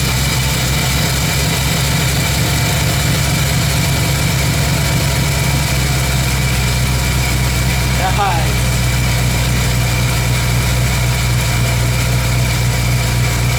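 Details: 1985 Ford F-150 302 V8 just after copper header gaskets and new header wrap were fitted, wrap and penetrating oil burning off: even, steady idle with a deep hum and no exhaust ticking or leaks.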